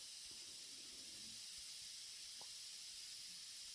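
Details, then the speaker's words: Home central-heating radiator on a combi boiler, being bled at the top bleed screw: steady high-pitched hiss of trapped air escaping as water refills, pitch changing until water appears. The radiator was air-locked at the top and ran cold. "Now you can imagine there's quite a bit of air trapped in this. I can hear the water running into the radiator as the air is coming out."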